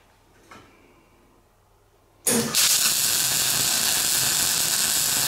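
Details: MIG welding on a classic Mini shell roll-over jig, with a good welder on metal whose paint wasn't cleaned: quiet, then harsh crackling hiss with irregular pops. The spatter is from the paint and improves as the paint flakes off during the weld.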